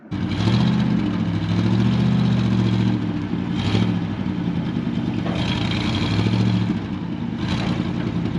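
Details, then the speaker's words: 1970 International Harvester 1200D 4x4 pickup, V8, after clutch free-play adjustment: smooth rev-ups settling back evenly, clean steady beat, no knocks or misses; engine runs well. "that would make sense because the motor runs pretty darn good"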